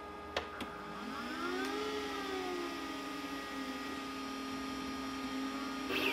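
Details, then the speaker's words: Glowforge Basic laser engraver after swapping the loud stock exhaust fan for a larger inline fan, run at half speed with the same microphone position: soft steady whir and faint hum, mostly the laser arm moving. The fan is quiet, normal. "pretty much all you hear is the actual arm of the laser moving"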